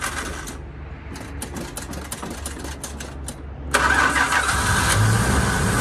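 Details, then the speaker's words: 1980 Chrysler Cordoba LS, known hard starter: steady starter whirr for almost four seconds before the engine finally catches and runs; starter motor makes an odd noise and may need replacing; hard starting, long cranking. "so this car is hard to start uh so give me a minute here and we'll jump in and see if we can get it started"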